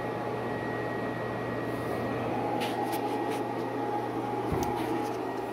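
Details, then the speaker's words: Tesla battery modules (26.5 V and 25.2 V) being discharged at a 1500 W load so they can be voltage-matched before paralleling. The cooling fan gives a steady, even whoosh and low hum with no pitch change, running smoothly under load. "So I hear the fan kicked on. It's blowing nice and cool. So at 1500 watt load, the fan came on, seems to be holding its own."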